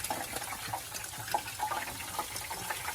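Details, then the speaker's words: Water boiling and sizzling like a deep fryer on the bottom of the scorching oil pan of a 1979 Ford's overheated, grenaded engine after water was poured on to cool it; water also reached the carb. "what's that boiling noise what is that oh it's water going down in the oil pan it's the bottom of the oil pan"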